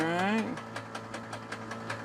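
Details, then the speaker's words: 68-year-old museum airplane engine not run in about 20 years, first start attempt: short starter whine, then even turning over about five puffs a second with the prop spinning but never catching; cranking, not yet firing. "clear prop oh yeah that's spinning around all right and you let it run for 10 20 seconds because there's no load on it"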